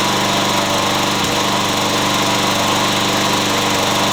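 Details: Yard Machines mower small single-cylinder engine after carburetor work for no-start: steady, even fast idle with no misses or stumbles. Normal running.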